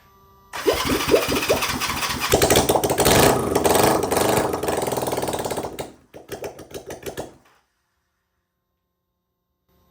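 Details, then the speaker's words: Honda CB360T twin, not run for many years, first start attempt with brake cleaner sprayed in, choke partly closed, spark plugs fitted, starter button working: cranks, catches and runs rough open-piped a few seconds, then sputters and dies; runs briefly on fumes. "spray some put some juice in there close the choke a little bit to kind of keep it in there see what happens"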